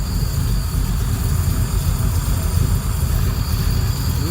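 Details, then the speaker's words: Second start of a freshly built engine, cold, during a vacuum check. A slow, lazy low rumble at about 550 rpm, clearly below a normal 625–650 idle; the idle speed is still low. "well that's still a little low here of course it's a cold engine probably about 550"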